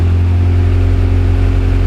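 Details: Honda Civic EF, first start after over a year of storage, out of gear, oil at or slightly over mark: steady even low idle, smooth unbroken beat without knocks or misses; engine running healthily.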